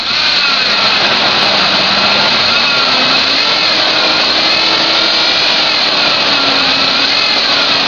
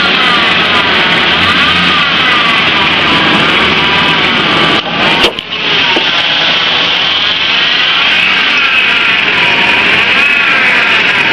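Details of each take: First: Ford Ranger petrol engine at steady idle, with a smooth hiss and no belt squeal or chirp, after a pea-size dab of belt dressing was rubbed onto the serpentine belt. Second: Ford Ranger engine running: loud, high-pitched serpentine belt squeal or chirp that rises and falls with the revs as the belt slips; owner suggests belt dressing applied pea-size to top and bottom of the belt.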